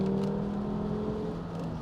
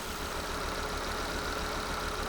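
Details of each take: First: Volvo V70, $800 car with newly installed replacement engine, manual transmission, stock airbox refitted, first test drive: steady even engine drone under load, no stumbles or misses; engine pulls smoothly and sounds healthy, normal acceleration. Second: Volvo V70 with newly installed replacement engine and new engine mounts, idling, engine shaking in bay: rough lumpy idle with recurring stumble, definitely misfiring before check engine light appeared; code reader later showed cylinder 4 misfire, from failed ignition coil.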